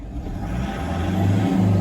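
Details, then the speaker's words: Diesel after major injector work, previously knocking like a hammer: smooth even note rising slightly with revs, no injector rattle; normal running after repair. "How long's it been running like that for? Have a listen to that. Some people think it's a petrol engine."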